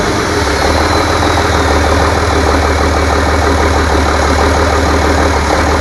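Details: Rebuilt International DT466 diesel from a loader, previously knocking, first run after oil and fuel priming: steady, even low diesel idle with a smooth regular pulse, no knocks or rattles; runs healthy.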